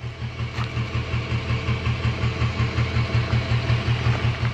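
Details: 6.0 Powerstroke diesel with injectors of only 2,000 miles: rough idle with a deep lope pulsing almost three times a second and heavy white smoke. It had a cylinder 5 contribution code and smoked even with that injector disabled, though the injector passed the buzz test; the cause was a cracked injector tip.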